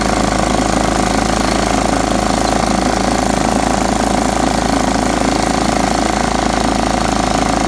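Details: John Deere STX38 mower, parked about nine or ten years, revived with new battery and freed stuck carburetor float: steady, even, fast engine beat, no misses or surging; running smoothly.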